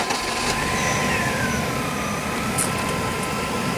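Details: '97 Chevy S10 farm pickup that runs rough and misfires on cold mornings, with codes P0102 (MAF) and P0340 (cam sensor): idle slightly uneven and loping without clear misses, faint whistle on top; running open loop with no airflow signal.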